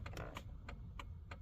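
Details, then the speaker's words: 2001 Dodge Ram work truck, in the cab: left turn signal clicking crisply and evenly at a normal pace, about three per second; flasher and bulbs on that side working normally. "So, just a normal sounding and looking turn signal there, but let's try our right now."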